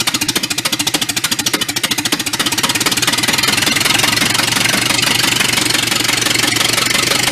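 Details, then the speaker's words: 1931 Ford Model A pickup, a barn find that sat for decades, on an early run: a loud, fast, rattly exhaust beat that swells as revs rise, running rough and noisy. The owner suspects the muffler and plans to blow it clear and refit the pipe. Cause unconfirmed. "that is loud all right what if the legal seal itself up running a little"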